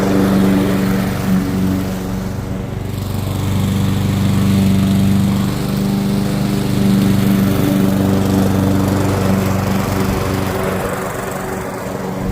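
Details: Curbside-found Weed Eater walk-behind mower, flywheel key previously broken by a blade impact, cutting grass with a steady, even, clean mid-pitched drone holding speed through the cut; normal running under load, carb tidy, rinse and oil change planned.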